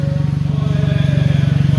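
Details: 2018 Hyundai Elantra at idle: steady low throb with raspy, motorcycle-like exhaust note and something loose at the rear; suspected leaking joint in exhaust pipework, not confirmed.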